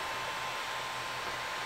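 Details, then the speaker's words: Creality Ender 3 Pro 3D printer with stock fans before a Noctua upgrade, with power-supply hot spots up to 50°C; the small motherboard fan gives a loud, steady airy whoosh with a faint whistle; loud cooling fan. "the motherboard fan is making quite a bit of noise at this point"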